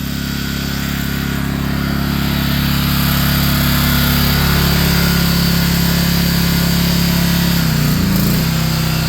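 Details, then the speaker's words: Home backup generator feeding the basement generator panel, warmed up, then switched onto household power with fridges on the circuit. A steady engine drone dips briefly as a load kicks in and the governor pulls the RPM back; normal operation under load. "You heard the engine. Something just turned on and it's going to try to maintain this RPM."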